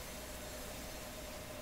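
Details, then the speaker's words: Garrard record changer in a Viking RC311 console, mechanism in the stop position. A faint steady ringing over a soft hiss comes from the brake shoe rubbing on the inside of the platter rim. "that sound you hear the ringing is the brake shoe rubbing on the inside of the"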